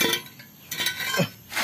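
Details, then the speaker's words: Gran Max catalytic converter, removed after cooling on suspicion of being clogged, shaken by hand: three or four bright, glassy clinking bursts from loose, broken internals. "Bunyinya berisik, teman-teman. Isinya mungkin apa... Di dalamnya terdapat paladium."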